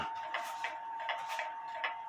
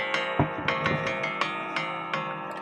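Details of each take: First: Antique Japy Freres French bakers clock (c.1880–1900), level one way but not the other: ticks in uneven pairs; not quite in beat. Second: Antique Japy Freres French bakers clock (c.1880–1900) after gong adjustment with the case standing upright so the gong doesn't touch the wood: clean ringing strikes decaying smoothly, no buzz.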